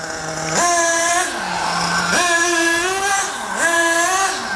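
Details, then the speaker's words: Nitro RC car engine with the low-speed needle turned further clockwise (leaner): a high buzzing note steps up and sags repeatedly as idle RPM climbs. "all right I'm going to lean that low spe speed even more clockwise notice my idle RPMs Are"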